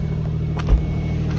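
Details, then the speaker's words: Nissan after DIY exhaust leak fix with bandage and tape: low steady idle hum with no puffing or ticking from the pipe; exhaust sounds sealed and quiet, normal idle. "we are mechanic so now the car is quiet we're ready for our camping trip"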